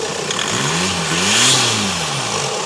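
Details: VW Lupo 1.9/2.0 TDI diesel (~400hp build) with MuchBoost GTB3073 VKLR big turbo, large intercooler and new 100mm intake: short rev climbs and falls smoothly under heavy hiss, no knock or misfire; normal start and rev.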